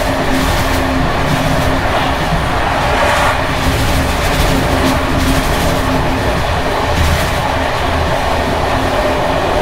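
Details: Czech Bd264 481 coach (built 1979), Görlitz V bogies many kilometres since last major maintenance, evening express on uneven line 190 between Hluboká nad Vltavou and Číčenice: constant loud running roar with irregular rattles and clatters from bouncing brake rigging underneath. Rattling bogie.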